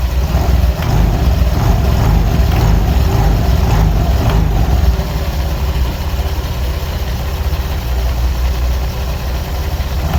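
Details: Honda Vario 125 LED scooter, tested before teardown at idle: irregular rattly clatter over the engine in first few seconds; rough CVT noise caused by stiff roller housing cover not flexing with the rollers.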